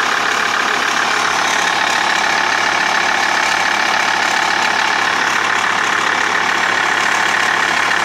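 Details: Ticking/clicking at idle from a TDI engine: steady light tick, about three per second, over the engine. Crankshaft pulley and tensioner already replaced with no change; timing belt changed 20,000 km ago, owner doubts timing. Cause unclear.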